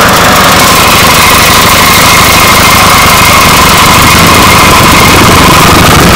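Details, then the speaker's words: 212cc single-cylinder on X7 pocket bike, governor removed, engine not fully bolted down, air filter not yet mounted: loud, steady run with fast even beat and buzzy top end, no misses or knocks; runs pretty good. "thing runs pretty good"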